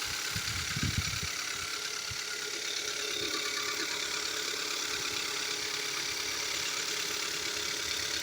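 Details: 2015 Kia Soul engine: irregular light ticking about three a second over a steady idle, speeds up with revs; diagnosed as pistons slapping and scoring the cylinder walls, and the engine is being replaced under warranty.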